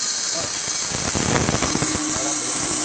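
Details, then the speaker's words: Refrigerant can valve opened slowly at 32 °C start temperature, near atmospheric pressure, steady high airy vapor hiss with light rattles before liquid boils in; normal refrigerant vapor transfer noise, not a fault. "Kita akan ulangi hal yang seperti tadi, dibuka perlahan-lahan sehingga keluar refrigerannya berupa uap dulu. Setelah mendidih dia baru ada cair. Jangan kaget dengan suara itu."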